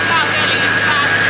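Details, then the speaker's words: BMW E92 M3 at idle with a steady high-pitched whine over the engine; owner suspects the power steering pump and plans to replace it, cause not confirmed. "i think it's the power steering so i need a new power or a steering pump"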